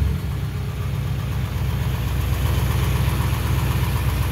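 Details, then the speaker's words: 1955 Chevrolet Bel Air convertible V8, first start after 30 years parked, gas poured into carburetor bowls: deep, steady low burble at idle, about four beats a second, slight lope but even; normal idle. "She's running pretty good now. We did put a little gas in the carburetor up here to make sure the bowls were full. Sounds good."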